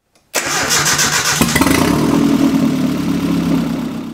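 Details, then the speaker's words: Nissan 240SX KA24E turbo on Micro Squirt ECU, first start after four weeks, untuned: catches quickly and idles smooth and even on all cylinders with a faint top-end tick, owner suspects from sitting. "there you have it it runs on all cylinders it sounds good"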